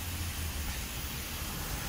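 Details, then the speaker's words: Holts Tyreweld can screwed onto tyre valve after a failed plug repair led to a slow puncture: continuous steady hiss of escaping air, owner suspects a leak where the can connector meets the valve. "Screwed on, you can hear the air hissing"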